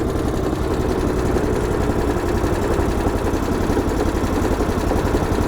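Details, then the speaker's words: Replacement Honda GX390 13HP single-cylinder engine fitted to a DR Chipper CP55047BMN, after start with choke then choke off and throttle lowered: even low putter at idle, no stumbling or knocking; normal idle after engine swap. "Everything's sounding good"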